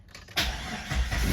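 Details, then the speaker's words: Jeep WJ 4.0 with shaking engine, poor acceleration and code P0351, after new coil and spark plugs and battery reset: quick crank that catches almost immediately and rises smoothly to idle without stumbling; normal start, no more shaking. "ด้วยสตาร์ทที่เดียวติดปกตินะครับเครื่องไม่สั่นแล้วนะครับ"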